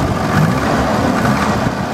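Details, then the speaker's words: Volvo turbo wagon (M46 gearbox) after a fresh oil change and a replaced failed crank pulley, valves now less tappety, revved stationary: it picks up smoothly with a steady rise and no stumble or bog. Clean throttle response. "yeah at least it's responsive it doesn't bog out when I rev it or anything"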